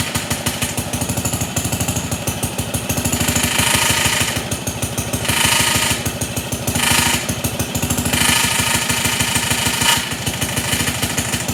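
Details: Pond lever-steer tractor, small magneto engine just brought to life with more idle fuel: fast steady chuff with hissy scraping bursts; suspected too-long clutch bolt, actually pressure plate fingers rubbing the bell housing when the clutch is pushed.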